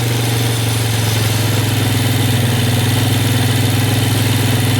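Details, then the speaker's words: Rebuilt-carb Yamaha Warrior ATV on fresh gas, first start after years, not yet warmed up: steady, even drone held noticeably above normal idle with no dips, because the choke was left on; high idle. "just dry a little bit of a high idle but I need to turn give it a little more fuel"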